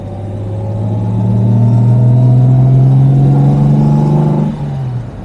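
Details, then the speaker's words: 1970 Jaguar E-Type Series 2 with triple carbs, second-gear pull on the road after oil pressure gauge work: smooth, even rise in engine note with no knocks or rattles, healthy under load, gauge now showing good oil pressure. "it and that is absolutely absolutely lovely and we're showing good pressure on the gauge here"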